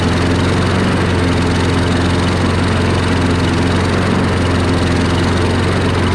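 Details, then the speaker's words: Free curbside Craftsman push mower after first-time carburetor cleaning and reinstall, running with air box removed: loud steady low single-cylinder drone with even firing; owner suspects it lacks intake resistance, refits air box to compare. "Put the air box back on and see if that changes anything. Gives it the resistance that it needs."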